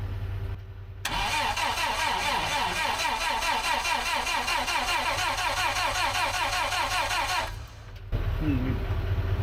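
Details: Terex carry deck crane bought as non-runner, cranking after vacuum sense line pulled back, before ether tried: steady fast starter churn about four turns a second for six seconds, never catches, stops when released — cranks but won't start, cause unconfirmed.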